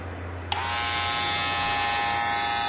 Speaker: Então, o primeiro passo é, com o auxílio de uma chave Phillips, nós vamos tirar a lâmina externa da nossa máquina, porque o barulho se dá na lâmina interna.